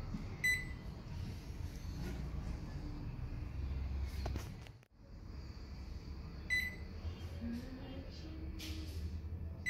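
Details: Philco microwave that would not power on due to a blown fuse, after fitting a new 10 A fuse: steady low hum with no buzzing or crackling, oven running normally.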